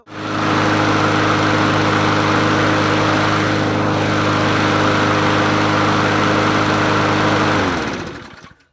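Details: Murray 20-inch 4.0 HP push mower (20415x8D), free find: steady, even single-cylinder buzz that holds speed without surging or missing until shut off; runs healthy.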